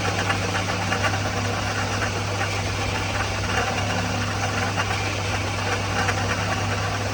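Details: 2004 Toyota Matrix XR 1ZZ-FE, 5-speed manual, 174,400 mi, burns ~0.5 qt per oil change, at operating temp under various rpm and loads (A/C, windows, full-lock steering): uneven light rattle over idle, noticed ~1500 mi earlier; source unknown.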